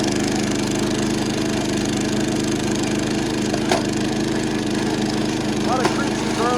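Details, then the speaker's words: About 70-year-old vintage National reel mower, engine and chassis just serviced and stuck reels freed, mowing: small engine drones steadily with a strained, heavy note, sounding overworked; labouring under load, cause unclear. "That engine does not really sound happy. It sounds like it's working super hard."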